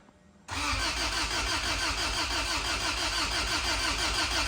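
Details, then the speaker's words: Honda Civic drag build, cranking with good compression: starter churns about three beats a second with even compression pulses but never catches; fuel smell, owner suspects it's flooded, firing order checked correct, throttle only opening to 31. "I smell fuel so it's probably flooded"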